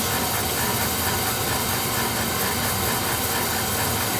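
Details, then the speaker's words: Oil boiler burner running again after fixing oil starvation, with a new filter and nozzle: a steady roaring hiss with an even mechanical whir and a slight motor whine, no surging. "it sounds like my ex-wife all right whining running though what's all that matters"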